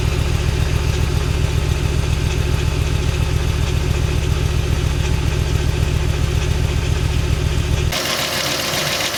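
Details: VW Bora V5 at idle: a regular rattling tick, about two per second, rides over the low engine note; abnormal engine noise, and the owner suspects a defective timing chain.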